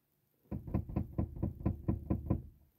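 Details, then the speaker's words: Chevrolet Onix/Prisma cabin: run of about nine dull knocks, roughly four a second, heard while driving; the passenger seat is loose at a bolt on its seat rail. "você balança o banco aí se banco que o banco passageiro ó ó tô vendo ele tá frouxo não tem problema eu nesse trilho aí ó nesse parafuso tá"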